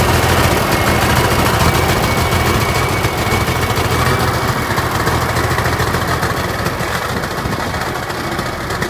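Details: TD25 diesel dozer just started after sitting 20 years (speaker says about 10), with water drained from the tank and new batteries fitted; a deep, loud chug with steady, even firing pulses and no misses. Normal idle.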